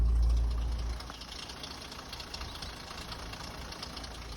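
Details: Engine gives a louder first second, then a deep, uneven idle rumble with loose knocking underneath. The owner hopes it's just a water pump; the cause is not confirmed.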